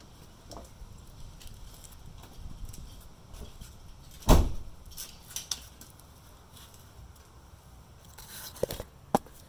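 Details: Subaru Forester 2.5 XT automatic at idle: sharp heavy clunk shifting park to reverse, smaller knocks returning to park, with drivetrain movement; suspected bad CV axle, transmission mount also viewed, unconfirmed.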